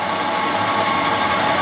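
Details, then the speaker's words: 1964 Ford Thunderbird, 390 big-block V8, heard idling outside during inspection: steady, even idle hum with no stumble or vibration; running smoothly and healthy. "Voilà, tourne bien régulièrement, sans vibration."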